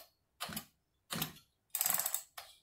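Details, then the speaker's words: Echo CS330T chainsaw that sat for an unknown time, cylinder wetted with fuel, choke-only start and flooded. Four firm pull strokes, each a rasping whoosh with clear resistance, show strong, normal compression on the pull start. "Pretty strong."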